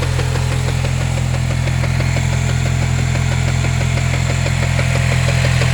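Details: Supercharged Cobalt SS (LSJ) with 2.8" pulley, Stage-2 setup with belt slip: knocking at idle, a sharp regular tick about three times a second over the even idle; source unclear.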